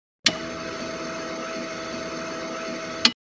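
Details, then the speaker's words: Car with a no-start complaint, key turned to ignition or driver's door opened, sound from the fuel pump under the rear seat: even whirring hum holding about three seconds then stopping cleanly; normal fuel pump priming to pressurize the system. "it's done to pressurize the fuel system before the engine starts carefully listen to the noise of the pump under the back seat of the car it looks like this"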